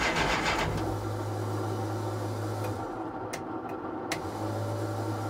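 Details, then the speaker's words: 1969 Plymouth Barracuda 440 V8: starter whirs with an uneven rhythm but the engine never catches; crank, no start with zero fuel pressure, owner suspects low fuel or a stuck carburetor float. "we have no fuel pressure now I had this problem last year what was it it was just low on fuel or what"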